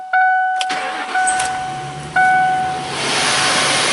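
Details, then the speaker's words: Lincoln Town Car, Ford 4.6L V8 that had been running poorly and falling on its face, restarted after repairs and coolant drain: door chime, brief crank, clean catch into a steady idle with no stumble. Normal start. "just like to bump that key just bump that's how it should be this compact key that's a good running car there yeah buddy"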